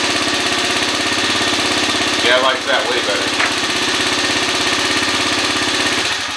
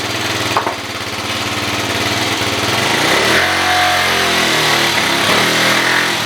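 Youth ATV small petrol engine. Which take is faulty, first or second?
second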